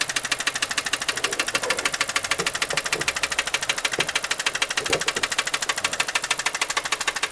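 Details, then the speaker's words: Car with 235,252 miles, used for rideshare, oil leak present, knock sensor replaced without effect: sharp, steady knock about two per second over the running engine; deep internal engine knock. "that knocking right in here a little bit of oil leak right there a lot of a lot of knocking"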